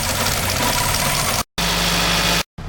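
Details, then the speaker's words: 2002 Nissan Altima with low compression in two cylinders, after all four ignition coils and spark plugs were replaced: the engine idles evenly with no stumble under a loud airy hiss. Black smoke is gone and power is still lacking; throttle body, TP or idle sensor suspected. "as you can see the engine is sold in RPM right now pretty well with all new IGN Mission coils and SP plugs"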